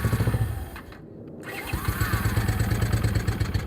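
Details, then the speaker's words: Honda CX-500 motorcycle that was first started on starter fluid, now running with choke: a steady low pulse that sags nearly to stalling, then recovers. It won't hold an idle, but the earlier ether detonation knock is gone. "It's not making that noise. That was detonation from the ether. That's good. >> It does not idle."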